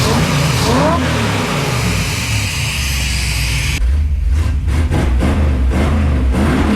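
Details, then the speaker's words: SBC 400 cubic inch V8 with Mild to Wild cam, just fitted with a bolt-on EFI kit replacing the carb, idle set 750 rpm warm, about 13 AFR, 11 inHg vacuum: deep lumpy burble with crisp throttle blips, normal healthy revving. "God this sounds rowdy"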